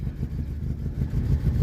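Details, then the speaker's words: 1978 Honda Civic after a cold restart: a low, steady throb with slight unevenness as it settles, then holds its idle without stalling once warmed up a little. Normal running after warm-up. "There we go. Just needed to warm up a little bit, and I do see a little bit of daylight through that floor there."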